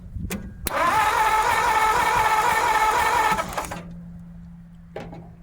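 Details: 1950 Ford F1 truck: the starter spins the engine steadily, about four beats a second, for nearly three seconds without firing. Crank, no start; the owner suspects a wrong firing order or distributor setup, and the coil is not getting hot.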